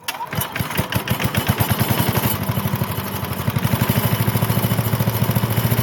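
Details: Briggs and Stratton small single-cylinder engine after fuel diaphragm repair fixed a no-run: catches and settles into a steady, even firing beat, starting and running smoothly.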